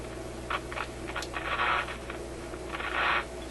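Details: Canadian General Electric KM-5 vacuum tube radio, warmed up: steady hum with irregular scratchy crackle bursts; intermittent noise in the audio output, with a dirty volume control suspected.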